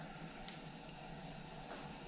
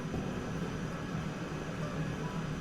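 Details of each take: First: Coleman model 243 lantern after check valve replacement, lighting: steady, even hiss with no roar building, burner weak and fuel-starved; owner suspects dirty generator, which was then pulled and ended up replaced. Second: Coleman model 243 lantern, cold-blooded, warmed by cracking the fuel valve repeatedly: steady, even hissing roar with a low murmur, no sputter or surging; normal burner roar.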